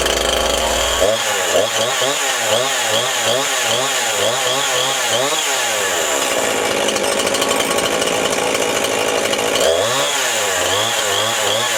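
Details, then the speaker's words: Newer Jonsered/Husqvarna chainsaw after a fuel line replacement, started with the compression release: buzzes cleanly as the throttle is blipped, pitch rising and falling evenly with no stumbling; runs healthy. "let's start it up push in the compression release put the foot on it you're running"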